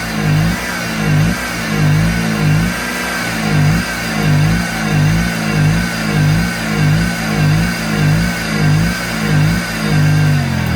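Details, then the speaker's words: Kohler 6.5kW marine generator during an AVR excitation capacitor test: the engine revs up and down about one and a half swells a second as the regulator tries to raise rpm, then sags and stalls before the switch can be rocked. "see, it died on me before I got it to go."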